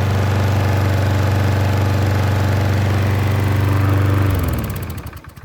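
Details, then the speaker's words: Troy-Bilt self-propelled mower with Briggs engine and key start, after replacing the leaking gasket on the carburetor bowl screw: run 40 minutes, restarted, firm even low chug with no surging even when tilted, then shut off and winds down; normal running. "i started it i let it run for 40 minutes and as you can see now no matter how high i tilt it it's still running just as it should"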